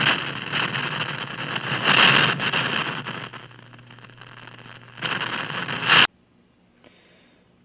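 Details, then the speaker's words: 1960s General Electric tube AM/FM table radio: irregular crackling and popping bursts come and go over the AM hiss. AM is noisy from silver mica disease in the IF can capacitors. "so unfortunately this is suffering silver mica disease so a.m. is dead or noisy I guess enjoy the Thunder stand"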